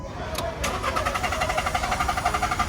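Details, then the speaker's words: Car cranks but won't start despite cleaned throttle and new spark plug, ignition coil and canister solenoid valve: steady rhythmic cranking at five to six beats a second, never catching; crank no-start. "It still won't start. Do you know what the reason is?"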